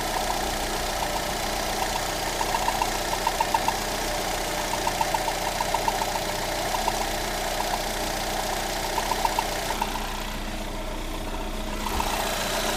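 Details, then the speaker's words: Lada Granta 126 engine just after full rebuild (bored block, new bearings, 82.5 pistons, new timing kit and valves), idling: light irregular scraping ticks over steady hum; tensioner roller rubbing the crank pulley, gone after loosening the alternator belt. "Сейчас мы немножко ослабим ремешок генератора. Так. О, скрежет ушел. Получается, натяжной ролик задевал шкив коленвала."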